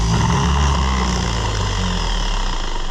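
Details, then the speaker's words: Oliver 1250 gas tractor (Fiat-built) starter bench-tested unloaded after repair: free-spinning whir with a low, even drone fading slightly at the end; seems healthier than before, but whether it's strong enough is unconfirmed. "Well it kicks it out now it feels a little bit healthier than it did is that enough healthy I don't know but we're fixing to find out"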